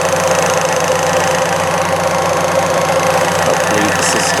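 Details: 1998 Fiat Cinquecento cold idle after radiator replacement, waiting for thermostat to open, heater on with fan: even, settled idle with steady hum and heater fan whir, no knock or miss; healthy.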